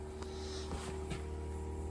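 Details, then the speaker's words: Samsung mini split heat pump with C464 compressor overcurrent fault, after evacuation and recharge, heating at full blast at 60°F outside: steady compressor hum with mid tone and light clicks, still noisy but not as bad as before. "Well, it's noisy, but it's not as bad as it was. And I do have it like full blast."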